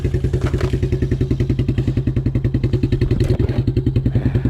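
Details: 1987 Suzuki Quadrunner LT230E ATV single-cylinder, idling outdoors after throttle and air filter replacement; steady even thumping exhaust beat, constant rhythm, no misses or rattles; healthy idle.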